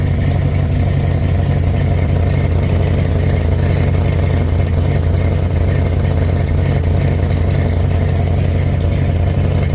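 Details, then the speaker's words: Plymouth Barracuda (Cuda) V8 idling after suspension work, loud lumpy idle with faint puffing tick on each exhaust pulse; exhaust leak still present, owner considering cheap F-body headers as replacement. "all right all right all right let's fire up I want to hear the old [Music] girl still got that exhaust leak"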